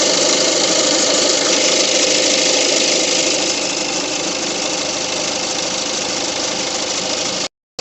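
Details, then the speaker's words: Peugeot 2008 1.6 HDi DV6 diesel, 131,000, idling: steady rattly knock about three times a second from the failing crankshaft pulley at the front of the engine; quietened slightly by spray grease behind pulley, pulley being replaced. "if we start it up it has quite down a little bit but we've got a noise coming from the crank pulley just in there"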